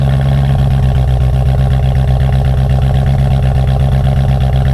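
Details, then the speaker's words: BMW M3 V8 after replacing faulty passenger-side pre-cat oxygen sensor (P2626 cold-start issue): steady, even low burble with no stumbling or misses; healthy normal idle after repair. "I mean, it sounds better. It's not breaking up like it used to like crazy like it used to do it all the time for like damn near a few minutes."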